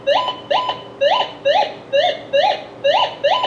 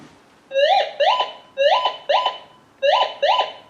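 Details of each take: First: Minelab GM 1000 (Gold Monster) metal detector, indoor table test, copper wire swept by hand across the coil: clean rising warble about twice a second, sounding the same from both sides of the coil; normal copper target tone. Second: Minelab Gold Monster 1000 metal detector tested indoors with a piece of brass: repeating paired warbling tones, about one pair per second, as the coil sweeps steadily. A non-ferrous brass target response similar to other metals.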